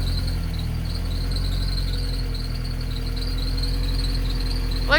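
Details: RHD Nissan 200SX S13 with CA18 engine, first start after a new wiring harness install. A steady high-pitched scream over a lumpy idle from auxiliary belts believed dry-rotted; a new belt set was ordered. Accessory belt squeal.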